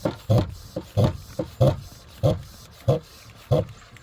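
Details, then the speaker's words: Volvo Penta V6/V8 marine engine, warmed up, oil extractor at the end of an oil change: regular wet slurping gulps, about one and a half per second, as it sucks air with the sump nearly empty. "here yeah it's pulling a bunch of air now"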